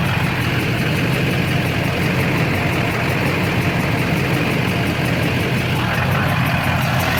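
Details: Duramax LB7 diesel pickup idling with a stuck injector during injector cleaning attempt: loud, heavy, lumpy clatter with uneven beat as one cylinder fires poorly; smoke reduced to a haze, fault traced to the driver's side.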